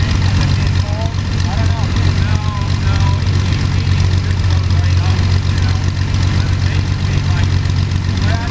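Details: First start of Jabiru 3300 six-cylinder in plans-built Sonex with Rotec TBI, 50 hours on engine, mixture full rich, oil pressure 42, charging: steady deep even idle, smooth low drone, no misses, knocks or rattles; sounded really good, normal idle.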